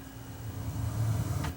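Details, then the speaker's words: Sony SCD-C555ES Super Audio CD player that won't play the SACD layer of some hybrid discs, on the SACD side with the volume fully up: a loud boomy rumble reaching full power (0 dB on the meters) plays before the music starts; source unknown. "I'm surprised I haven't taken out my tweeters like what is all that noise that kicks in right now"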